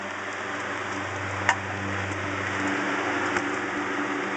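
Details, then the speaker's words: Restored fan whose motor bearings are tight with no wear and shaft oiled, running on high: steady rushing air over a low, even motor hum with no grinding or knocking, like a brand new motor; normal running on high speed. "It's like a brand new motor. But that's what high should sound like."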